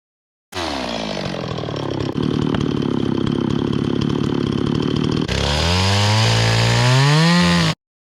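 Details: Restored old Stihl 026 two-stroke chainsaw after carburetor cleaning, rough-cutting thick-barked firewood with a pretty dull chain: high even buzz pulls down slightly in the cut and revs back cleanly; healthy and strong despite the dull chain.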